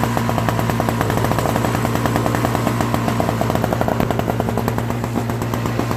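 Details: Old Craftsman 5HP Tecumseh snowblower engine after carburetor cleaning and leaking float replacement: even, rapid firing beat holding steady, no stumbling or surging; normal running.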